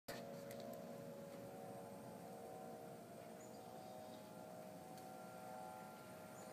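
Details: Faint, steady, hollow wailing tone like a distant siren over background hiss, heard outdoors in Denver, Colorado in November 2012 at the same time and weekday as a month before, ending in a powering-off sound; source unknown, suspected man-made.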